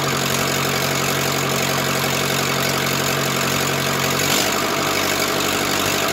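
Even diesel clatter at a settled idle with a slight tone shift partway, no heavy knocks: the engine idles normally.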